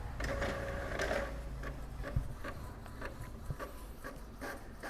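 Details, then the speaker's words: Epson L3110 printer after fixing error 0310006, restarted and test printing: soft uneven ticks and whirs of carriage and paper feed, about two a second, no grinding; printer now working normally. "nah printer lihat printer sudah bekerja ya ya dia sudah berhasil mengeprint"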